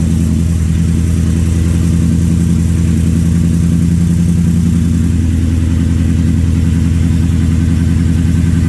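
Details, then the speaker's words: Gen 3 Coyote V8 swap in a Ford truck, first crank after high-pressure fuel pump replacement, system primed several times: engine catches and settles into a steady, even low rumble with no misses; engine starting and running. "let me try to crank it and see if it's going to start obviously I got to Prime the system a few times and hopefully she [Music] runs"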